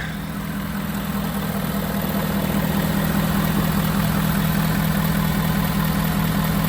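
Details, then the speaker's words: Used auction work truck, diesel, not deleted (stock exhaust), started after walkaround: steady low diesel clatter at idle, even rhythm, no misses or odd knocks; engine sounds healthy, normal diesel idle. "I think she sounds good. I mean, you probably can't even hear it because it's obviously not deleted, which is definitely something that I'm not at all gonna do."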